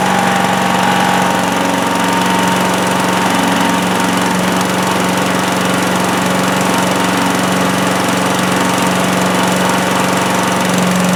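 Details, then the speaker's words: Predator (Harbor Freight) chipper/shredder, 212cc Honda-clone gasoline engine, found with very little oil, started on choke with throttle near high after a no-spark fix: steady even single-cylinder chug, no misses or knocks; running normally. "Yep, it runs. Easy one today, right?"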